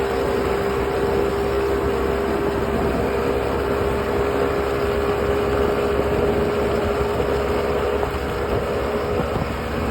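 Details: Unit (ox66) at steady speed with a constant gritty rasp and fixed tone riding over it; grinding briefly vanished after new spark plugs then returned; compression excellent, prop not slipping, cause unknown.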